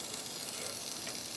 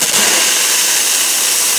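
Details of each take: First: Grindmaster two-group espresso machine under rebuild: a quiet, steady high-pitched hiss as steam leaks from a line fitting by the pressure gauge, which needs repair. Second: Grindmaster two-group espresso machine after rebuild with leaks fixed: a strong, steady two-second hiss from the second steam wand, then a clean shut-off with no sputter; working properly.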